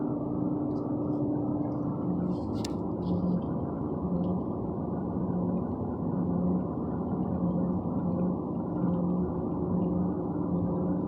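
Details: 2014 Ford Fusion: low wavering moan around the fuel tank, pulsing rhythmically over a dull rumble; the car usually stalls after this noise; cause unknown.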